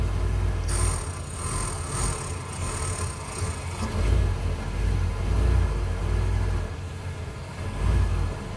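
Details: 1993 Ford E250 5.8L V8 after 20 to 40 minutes of running: low, uneven idle throb swelling and sagging every second or two before it stalls; IAC valve and fuel filter replaced, and an EGR delete plate made no change; cause unknown.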